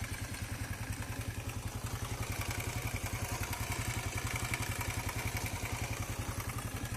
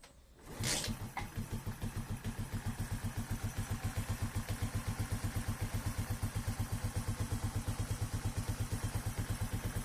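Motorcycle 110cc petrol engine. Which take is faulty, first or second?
first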